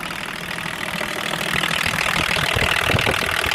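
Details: BMW 524td M21D24 diesel that had loud valvetrain knocking, after full valve adjustment: steady, even idle clatter with no loud knock standing out; valves quiet, runs smooth.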